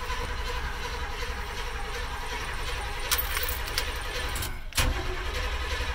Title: Blazer no start